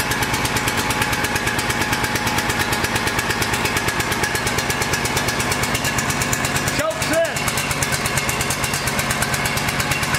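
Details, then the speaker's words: Kawasaki engine on a Cub Cadet riding mower running fast, uneven and lumpy at about three beats a second, stumbling and rich because of a stuck choke. "so if your mower say you start your mower and it's running real crappy so we'll show you what a stuck choke does"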